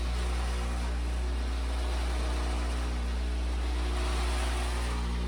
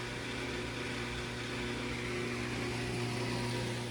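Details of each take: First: Whirlpool Duet washer on rinse, drain, spin: deep, steady droning hum with rough buzz as the pump-to-drain hose vibrates hard; owner suspects the drain pump, unconfirmed. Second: Whirlpool Duet washer, 10+ years old, after drain pump replacement, cover off: a low even hum as the drum winds up smoothly into spin, single clunk at end; normal spin.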